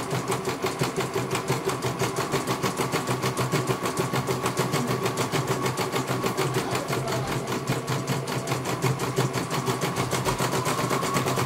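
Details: CNY computer embroidery machine serviced from Banjarnegara, Central Java, that arrived with its motor (dinamo) not turning at all and the bobbin case missing; rapid, even needle clatter, no knocks, grinding or stalls, one colour finished well. Normal stitching.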